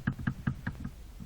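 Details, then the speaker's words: Toyota Corolla with electric power steering, free play found in the steering column's lower (intermediate) shaft, suspected bearing wear there causing knocks over bumps and gravel: dull, even knocks about five a second as the play is worked. "сама колонка нижний вал даже называем средний возможная причина стуков при проезде неровностей и при езде по гравийке"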